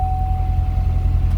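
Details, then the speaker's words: 2014 Corvette Stingray, 51,000 km, pre-purchase inspection, no diagnostic issues found: starts right up and runs well, deep steady V8 idle with even low rumble and faint constant tone above it; normal idle. "we're going to uh fire it up real quick it does start and sound like it runs well [Music] so it all does start right up run well"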